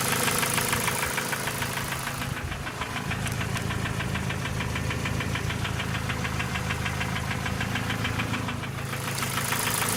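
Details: Ford Focus 2 1.6 100 hp engine: sharp light metallic ticking about three per second following engine speed, piston pin knock; no other problems, no oil consumption, starts well.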